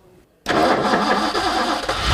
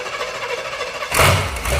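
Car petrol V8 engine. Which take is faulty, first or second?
first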